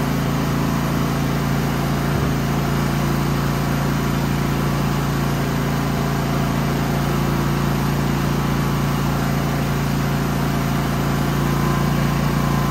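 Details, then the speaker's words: Genmax GM9000iED inverter generator after replacing a foam pad and closing housing: steady, even drone with constant pitch for a while; normal running, though backfires have blown the plastic case open. "as you guys noticed it was running for a while um but I had to tap it to start it"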